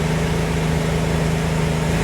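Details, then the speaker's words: Nissan B14 after repair of a cylinder not firing and rough idle: smooth even low idle hum, no stumbles or skips; no more misfire. "Notice no more misfire. Good to go."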